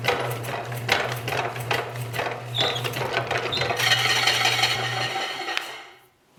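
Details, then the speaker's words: Rebuilt 30 lb Kerrihard power hammer: uneven thumping blows, a few per second, faltering and dying away; the 3/4 hp motor is too weak, to be replaced with 1.5 hp. "ʻo koʻu loulou nāwaliwali koʻu motika. ʻAʻole lawa ka nui o kaʻu lio 3/4."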